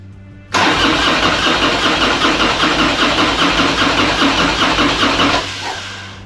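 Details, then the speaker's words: 2001 Harley FXDX Twin Cam, 26k miles, after cam chest and tensioner upgrade: about five seconds of even starter cranking, never catches; no spark because the HT plug leads were left off. "try again did we unplug it we got no HT leads on duh that's why it ain't starting"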